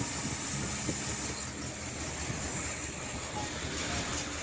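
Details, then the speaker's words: 1980 Triumph TR7 first running on its own fuel supply: a loud steady high hiss over an uneven, lumpy idle from a monstrous vacuum leak. "As you can hear, it's got a monstrous uh vacuum leak."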